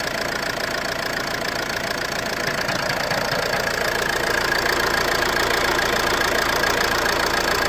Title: Ford C-Max knocking noise....flywheel?